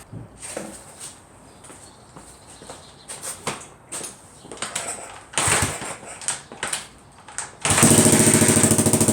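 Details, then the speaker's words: 1980 Honda XL250S single after a DIY patch of the broken exhaust header: fast, loud, sharp popping idle, a lot quieter than before but still loud, harsh bark suggesting the header still leaks; exhaust leak at header. "well it runs again it's a little quieter i mean a lot quieter but still pretty loud"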